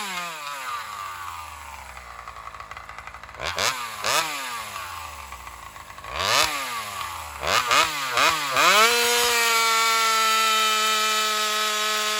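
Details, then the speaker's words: Alcohol-fuelled chainsaw cutting after a fuel line swap, camera set further back to watch the exhaust pipe. Revs rise and sag repeatedly under load before a high steady scream; owner suspects it leans out, starving for fuel on the high-speed circuit. "And I have a feeling the saw is running lean as it goes in the cut, like it's starving for fuel."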